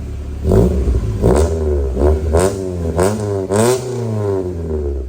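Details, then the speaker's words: 1990 Honda CRX HF with freshly installed CRX Si engine, briefly warmed up, timing not yet checked, distributor bolts not all fitted: several quick throttle blips, revs rise and fall cleanly with no knock or rattle. Normal revving. "sounds like a CRX on it yeses that is cool"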